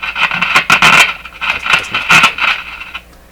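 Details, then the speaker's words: Circa-1955 Canadian Viking 54-51 six-tube AM radio on a dim bulb tester, tubes being wiggled in their sockets: sharp irregular crackles and scratchy bursts over hiss, improving as the pins scrape clean; poor tube socket contact. "so in my mind what I'm doing when I do this is I'm causing the pins to move around in the socket and they're just basically scraping each other clean it's getting a little bit better"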